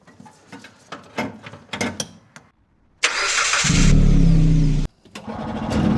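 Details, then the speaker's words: 1970 Willam Fourgonnette micro van, 125 engine unrun for 20 years: slow cranking about four strokes a second, then a brief ragged catch that dies; engine flooded and spark plug gap too tight; throttle sticking. "Cut off. Flooded. Flooded and gap too tight, which I'd noticed before."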